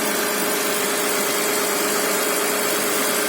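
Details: Mitsubishi Pajero at 354,000 idling after timing belt replacement (owner had suspected the tensioner for a knocking/clatter): even, steady mid-pitched tone and hiss, no knocks or misses; smooth, healthy idle.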